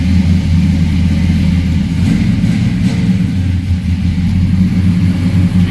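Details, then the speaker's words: 1972 Oldsmobile Cutlass S with fuel-injected LS V8 swap, Doug Thorley headers, dyno-tuned 420 hp crank, automatic: deep, steady even high idle just after cold start, no knocks or misses; normal healthy engine. "You can hear a very healthy engine. It's going to be at high idle since I started it cold there, but it'll give you an idea what it sounds like."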